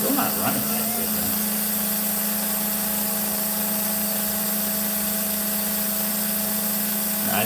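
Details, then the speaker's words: Slot car motor on a Dyno 2.0 after checking the pickup shoes; steady high electric whine at one pitch with faint roughness, sounding short of full speed; it had sounded nasty on the dyno; motor underperforming. "let's see if uh see if this sounds any better cuz it was sounding pretty nasty on the on the Dino wasn't it"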